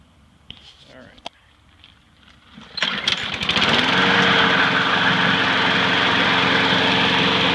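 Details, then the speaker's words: Free curbside lawn mower, after freeing a stuck carburetor needle and a cleanup: after a quiet pause the small engine catches into a steady, even high-pitched drone at fixed speed, running normally. "i'm going to start it up let it run for a little bit and want the clamp to handle down or tie it down let it run a little bit and kind of draw itself off"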